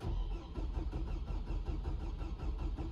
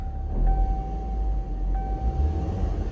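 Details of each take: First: 2007 Hummer H3 cranking but not starting: starter churns at about one beat a second and the engine never fires; owner thinks the sunroof was left open and water may have got in. Cause suspected, not confirmed. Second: 2007 Hummer H3 after jumpering fuel pump ground wire to frame, fixing crank-no-start: low even idle rumble with faint steady tone, no misses or stumbles; running smoothly.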